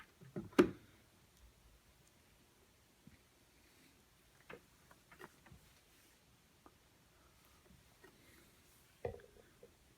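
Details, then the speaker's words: Tube guitar amplifier with a weird popping noise: during a bias check one power tube's current spikes past the ~35 mA target (plate voltage ~43–45 V) as irregular sharp pops sound over a quiet background, identifying a bad power tube. "you can see it's spiked and you can hear the pop or maybe you can't but it's popping and it's rising pretty fast they may even pass 35 which means that this tube there goes this tube is a bad tube"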